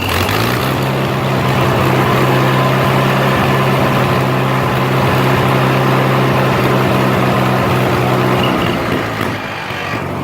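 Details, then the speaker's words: Farmall H tractor idling after plowing with an uneven, crackling edge over the firing beat; runs fine, then runs rough after a few rounds in the field; owner suspects carburetor out of adjustment, cause not confirmed. "not as bad as it was but you can hear it kind of crackling and everything it would run good and then as it would I get a few rounds through the field and it would start running like crap"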